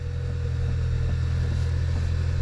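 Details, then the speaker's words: Kia Optima after replacing power steering coupler bushing (Dorman 926-990), engine started for test; steady low engine hum, no knocks or clunks, steering clunk gone. "just going to do a quick test and see if it actually starts up all right no more clunk"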